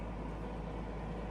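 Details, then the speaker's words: Stanko 1M636 heavy-duty lathe (Russia), spindle at 160 rpm: steady, even low hum from the gearbox and spindle with no knocks or grinding; running healthy. "Current spindle speed 160 RPM, 160 rotations पर minute. There is no noise at all in the gear box और in the"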